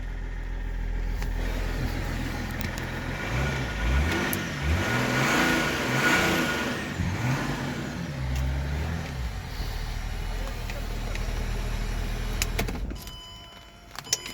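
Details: Land Rover Range Rover L322 after freeing stuck ignition lock solenoid with drilled hole and WD-40, battery recently replaced: engine catches promptly, revs and settles a few times with clean even note; starts and runs normally.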